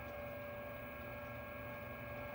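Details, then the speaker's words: Neptune variable-speed pool pump motor back at 2760 RPM on manual override after a time clock is turned off; smooth constant hum, clean steady high tone, no grinding or rattle; running normally. "to the speed that it was on. We were on override at the moment. So we're at 2760 RPM again."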